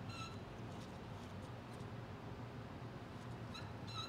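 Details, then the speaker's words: Original 2WD TH400 transmission: two short, high squeaks as the sprag is turned by hand, which identifies a standard roller-type sprag (roller clutch) that has not been upgraded to a 34-element drum. "hear that squeak that'll tell you that it's a standard roller style sprag assembly roller clutch what they call it"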